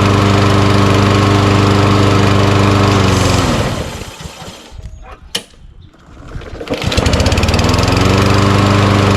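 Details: Lawn mower with auto-choke engine, sat in the shed all year and given fresh gas, coasts down and stops, then catches at once on one pull and settles into a smooth steady run; healthy start.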